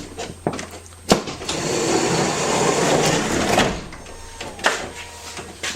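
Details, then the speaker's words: 2005 Toyota Sienna power sliding door after replacing the defective center hinge: sharp click, smooth motor whir, firm latch thunks with no grinding or binding; door shuts, stays open, no longer hits, working properly. "And the door shuts. And it stays open. And it no longer hits anywhere down here. It does what it's supposed to do."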